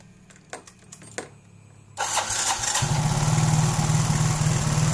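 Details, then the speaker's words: Yamaha automatic scooter (Mio J/M3, X-Ride, Soul GT), idle set by throttle-body plunger, plunger too far in; engine fires and settles into fast steady buzz, idle too high, fix by turning plunger out (left). "Nah ini tidak mati ya ini untuk langsamnya terlalu tinggi Oke Paham ya seperti itu jadi ketika para brader semua di bagian langsamnya itu terlalu tinggi maka kita memerlukan di bagian plunger ini kita keluarkan sedikit"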